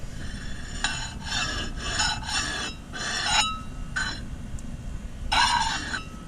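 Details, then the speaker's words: Honda after brake bleeding and e-brake adjustment: rhythmic metallic scraping in bursts as wheel is turned by hand, rear rotor hitting caliper bracket; owner suspects worn parts. "so this roadie right here is hitting this bracket back here I don't know if even go to see it but it's hitting rate they're gonna stop still hits little stops"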